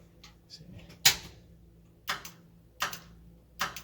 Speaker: i don't know if you hear the clicking that's the line lock that's working properly